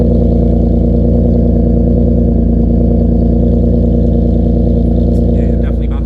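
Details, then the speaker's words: 6th-gen Nissan Maxima with a 6MT HR swap, idling after the overhaul: a steady, even low rumble with no misfires, stumbles or rough idle. It runs smooth and idles perfectly. "cars sounding amazing no misfires it sounds like it's running smooth idling perfectly i don't hear any rough idols any stumbling anything like that"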